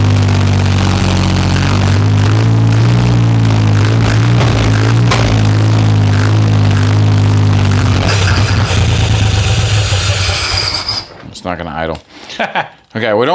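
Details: 1963 Jeep CJ5, long disassembled, started with accelerator pump squirts, little coolant: uneven surging beat only on throttle, then sags and stumbles out near the end; won't hold an idle.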